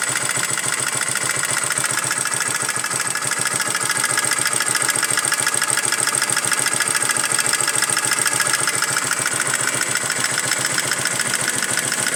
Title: Barulho estranho no motor de moto varetado